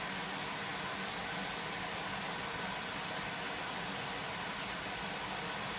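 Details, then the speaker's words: Electra AWF683 washing machine on Boilwash 95 with prewash, towels load: steady, loud rushing hiss with no knocks or gaps as water pours in fast; normal fill. "God, it fills up quick."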